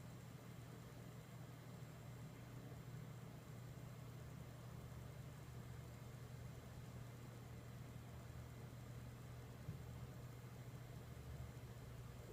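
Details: Dell Precision T7500 dual Xeon workstation running: steady even low fan whoosh, no rattle, ticking or bearing growl; fans sound normal and quiet.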